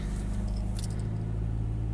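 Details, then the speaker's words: Subaru BRZ with proximity key after intermittent no-start, fob placed on start button, clutch and brake in: engine finally starts, steady even low hum with no knocks, misses or surging; idles smoothly. "press the start key Aha and it just started this time what did I do differently that's"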